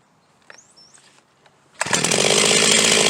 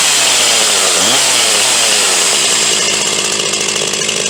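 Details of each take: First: Huztl G366 (Stihl MS361 clone) chainsaw, warm, suspected plugged fuel tank vent, restarted with fuel cap popped open: quiet handling, then fires and settles into a steady high buzzing run; starting fine suggests the vent is blocked. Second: Huztl G366 (Stihl MS361 clone) chainsaw, owned about three to four months, running warm: screams high, then dies coming out of the cut or falls to a ragged, uneven idle as it gets hot; leaning out from a plugged fuel tank vent.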